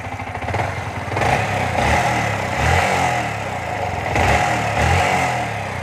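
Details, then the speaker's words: Yamaha R15 version 3 motorcycle, warmed up, after recent half engine work: idle and blips with fast, dry ticking clatter over exhaust, louder when hot; loud tappet noise from excessive valve clearance, before tappet adjustment. "महसूस करने के लिए अब आप ऐसा कर सकते हैं आवाज बहुत तेज है।"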